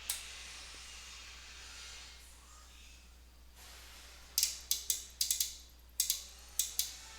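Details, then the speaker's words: Ameritec AM-48 transmission test set, drawing about 1.8 A, powered up again after repair work (input power supply suspected): about ten sharp, uneven clicks over two seconds as a relay pulls in but won't stay latched; the fault persists. "and it sounds like we still have an issue I hear a relay clicking on but uh not staying"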